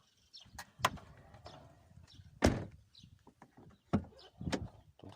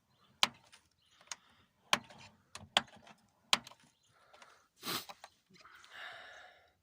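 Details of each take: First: Lada Kalina car door opening with only dull clicks and thumps from the door check straps and no squeak, after the check strap was generously greased with a lubricant mixture. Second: Lada Kalina door: creaks and clicks through its detent stops as the dry door check strap squeaks; fix is lubricating the check straps or replacing them with plastic Granta ones.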